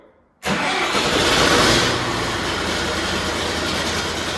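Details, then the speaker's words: John Deere 450C bulldozer diesel, in neutral, after reseating a pushed-back spade in a connector: quick crank catches straight away, revs up and settles into steady idle; normal start. "That's how it usually starts. I'm gonna venture to guess that we've got a winner."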